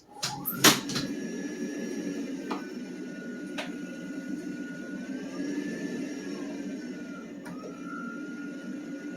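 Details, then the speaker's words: Tankless water heater blower fan running after removal and cleaning, which was done to fix a humming sound. Soft, steady hum with a light whistle and no vibration or rattle after a few handling clicks; the vibration is gone: normal fan operation. "so it definitely definitely took away the vibration that's awesome"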